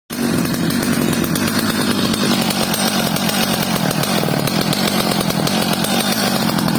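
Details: Stihl 230 chainsaw after repair, fitted with a new bar and chain: a strong, steady high-revving buzz with no stumble or surging. It runs clean and healthy.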